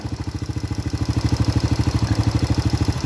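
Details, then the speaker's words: Honda Supra Grand carbureted motorcycle after adjusting the carburetor needle, nozzle and jets to cure black-fouled plugs, warming up: even, regular exhaust pulses at steady idle, no stutter or missed beats; normal idle after repair. "Oke, suaranya sudah berubah, tidak seperti sebelumnya."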